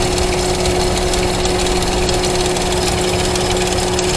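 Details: Engine (owner's "pony", valve covers off during teardown) runs with a constant high-pitched chirp/tick over it; rockers checked and not loose, no cam bearing noise, owner first suspected rocker arms, now suspects timing chain guide; source unconfirmed.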